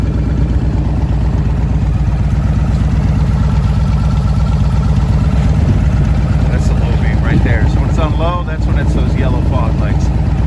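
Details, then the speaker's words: 2002 Yamaha Warrior V-twin with factory big air kit and velocity stacks: even, lumpy beat at steady idle with no misses, ticks or knocks; owner says it runs great with RPM set right. "But like a kid, runs great. RPM set right."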